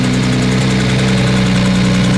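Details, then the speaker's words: Lamborghini Aventador V12 just started on a new battery, oil pressure good, heard up close at the engine: light, fast, regular ticking over a lumpy idle. Owner suspects a cylinder head or bottom-end problem, unconfirmed. "I can hear that there's a ticking so what that tells me is that there's probably something going on in the cylinder head or Worse the bottom end"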